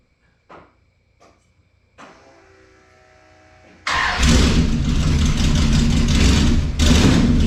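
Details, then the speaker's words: 1968 Chrysler Newport V8 with newly built exhaust and headers, driven only about four miles, idle raised slightly while warming, headers still smoking. A few clicks and a short crank, then it settles into a deep, steady healthy idle. "I uh took the idle up a little bit a let warm up a little bit still got still got a little bit of smoke coming off these new headers I've only driven it like four miles total but uh sounds awesome"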